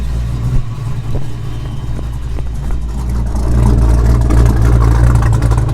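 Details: Ford Foxbody Mustang V8 after a new 255lph fuel pump and -6AN line install: deep rumble climbs smoothly as the throttle opens, no clatter or stumble, then holds steady; runs well, check engine light unexplained.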